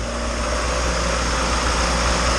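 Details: Turbo Honda engine just installed in EG hatch, first start on cheap break-in oil, not in gear; quiet, smooth, even idle with low steady hum, no knock, tick or slap; small turbo oil leak noted.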